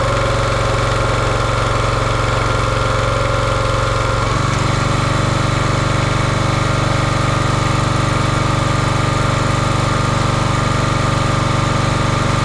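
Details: Champion 27-ton log splitter, 224cc engine, stored outside probably over a year: steady even beat, note deepening about four seconds in as hydraulics take load, no misses or knocks; healthy.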